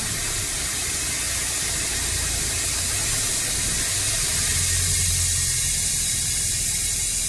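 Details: Renault Scenic diesel with a crank/no-start fault (loose injectors, blocked DPF). The engine stalls. With the sensor pipe off, a loud steady hiss of exhaust rushes out over a rough low diesel beat, suggesting the DPF is choked.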